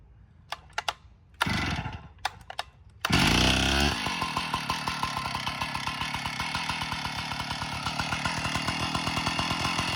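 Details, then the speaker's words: Stihl 056 AV Super chainsaw runs with a fast metallic clatter over the engine, an abnormal internal rattle; owner suspects an internal cause, not yet found, before strip-down. "you're just not right i can hear it even there"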